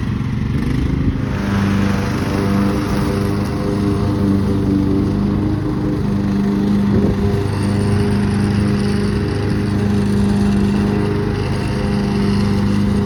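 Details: Craftsman manual-drive lawn tractor, 15.5 overhead-valve engine, revived after about 4 years in a shed: steady, even single-cylinder drone holding speed while cutting, no surging or misses; engine running healthy.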